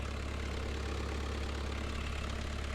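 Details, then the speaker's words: New Holland LS170 skid steer diesel, just started after an oil, filter and air filter service: a steady low idle with an even beat and no knocks or misses; the engine runs fine. "All right, moment of truth. Will she fire up fine, and will she idle fine? Pull the key out. Safety usually third, but make sure no one starts this. Okay, it sounds good."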